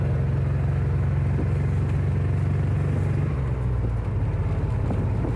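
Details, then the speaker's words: 1990 Chevrolet Silverado 4.3 L with 5-speed, after sitting about a year, driving at 55 mph: low uneven drone with a lumpy pulse under load; seems to miss on a couple of cylinders, throttle unhappy in many positions, cause unknown. "seems to be missing on a couple cylinders the throttle is really unhappy in a wide range of positions"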